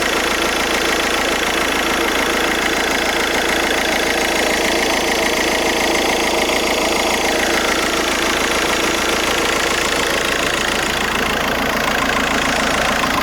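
Diesel idling with a busy, fairly regular rattling clatter and a faint whirring overlay; an abnormal idle noise, source uncertain. Cause suspected, not confirmed.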